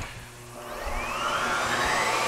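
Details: Miele U1 S7 (S7000) upright vacuum after servicing and HEPA filter refit: motor spools up to a steady high whine that settles smoothly with no rattle or grinding; running normally.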